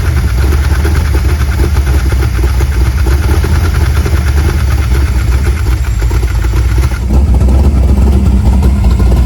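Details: Squarebody truck V8, first start after two weeks sitting and minor repairs incl. transmission fluid: deep lumpy rumble shifting tone, uneven like it wants to stall; abnormal running, cause not yet found.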